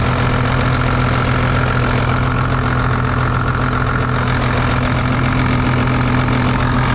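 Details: Rebuilt rollover John Deere 8300 tractor diesel idling during a leak check. A steady, even idle with a deep low rumble and a regular beat around three per second; runs clean and healthy. Normal idle, while a reservoir fitting or hose leaks.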